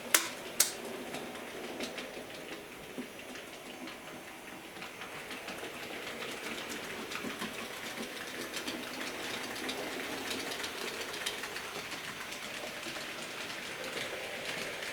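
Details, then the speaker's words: J36 "Haig" model steam locomotive after oiling push rods, tender and engine bearings and greasing driving cog: light even clicking over rail joints with soft motor hum; earlier grinding from dried-out oil is gone, running smoothly. "Well, you remember the awful noise this was making going through this part of the track. There we go. gone."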